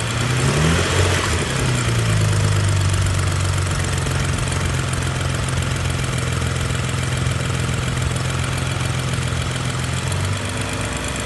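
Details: BMW N55 engine: catches, settles to idle, and an uneven tapping knock of about three or four a second rides over the low drone at idle.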